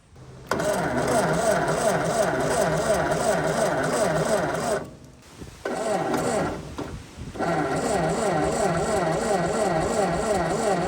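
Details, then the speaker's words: 1952 Ford 8N tractor with low compression, suspected stuck rings and valves, weak spark; coil swapped for a 12 V coil with resistor, 12 V battery on 6 V positive-ground system: steady cranking about three turns a second, stopping and restarting, never fires. Cranking no-start. "Okay. So, she don't want to start. Let's just see if we have fire."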